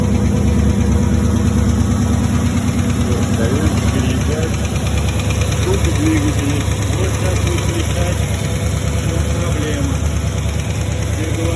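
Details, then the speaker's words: Porsche Cayenne 4.5 at idle: dull, fairly regular knock about three times a second under the engine note; mechanic suspects scoring in the cylinders, to be confirmed on teardown. "Мне кажется, это все-таки это задиры в цилиндрах."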